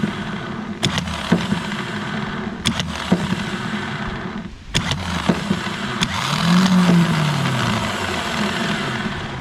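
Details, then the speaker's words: 12-valve diesel truck starter removed and bench-tested with jump box and starter button: clicks, then starter whirs with rough gritty hum; bearing has play, worn starter bearings, being replaced with XDP gear-reduction starter. "So all right, so if you guys watch here, you'll see that the bearing's got some play in it, and you can definitely hear the bearings are bad in the starter."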